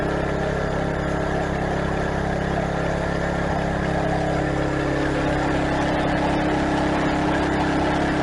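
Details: Craftsman garden tiller test run after replacing the old, tensionless drive belt through the pulleys and tensioner, belt tension handle engaged: small single-cylinder engine chugging steadily with no slipping squeal or hunting. Normal running.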